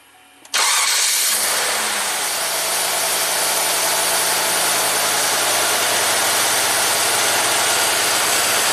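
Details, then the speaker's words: 1993 Cadillac Allante Northstar V8 after installing a new AC Delco idle air control motor to cure high idle; short crank, then smooth, even low idle at 600 rpm, no check engine light: normal idle. "It's a nice healthy V8 sound. No check engine light. Look, 600 RPM, just the way we like it."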